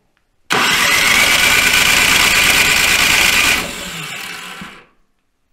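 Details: Toro Power Max 726 OE snowblower that sat about two years and wouldn't run last season. Fuel heard being drawn in; at full throttle it gives a steady, fast crank about four turns a second that winds down without firing. Cranks but won't start.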